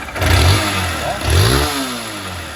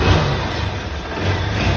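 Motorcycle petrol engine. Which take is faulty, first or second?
first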